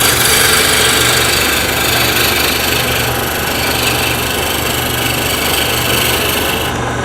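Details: Wood lathe turning a bottle-stopper blank held in a collet chuck with a draw bar; a continuous, even hiss of the tool shaving wood with a steady rhythm and no knocking, meaning the blank is now round and cutting cleanly.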